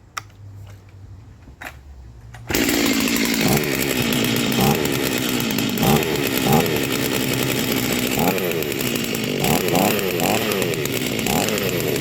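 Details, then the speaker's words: Rebuilt vintage Stihl 036 chainsaw with aftermarket Meteor piston and cylinder, new crank bearings and seals, new muffler and clutch, rebuilt OEM carb; first start after a few pulls, settles into steady high buzz with small even blips while warming up; healthy. "oh wow that's awesome she runs so yeah we'll just let her let her warm up for a minute call it good for now"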